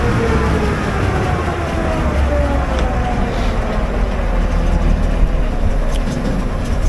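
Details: Generator on a service call, run during a voltage check (283 V line to line, about 278–279 V line to neutral): a dense, even roar over a steady low drone with no knocks or surging. Normal running.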